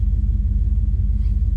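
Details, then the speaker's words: Small-block V8 SUV that barely ran when acquired, after tune-up and service: deep, even burble at idle with steady beat, no misses or ticks, oil pressure improved, temperature just coming off the peg while warming; normal idle. "So gang, take a look at the gauges here. This is what your small block V8 should idle at."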